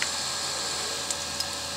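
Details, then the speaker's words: Rebuilt PC (motherboard, processor and WinFast graphics card swapped, Windows 7) running: steady airy whoosh with faint constant hum; the CPU cooler fan is noisier than it should be, to be fixed later. "qui fait du bruit un peu c'est ça bon un peu le refroidisseur processeur mais ça je pourrais régler par la suite"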